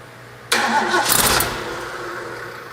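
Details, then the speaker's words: Restored Ford V8 from a 1972 Pantera barn find off the road about four decades, first start after rebuild and timing correction: engine catches sharply, flares briefly, then settles into a steady even idle, firing cleanly. "all right well we got the engine running got it warmed up real good"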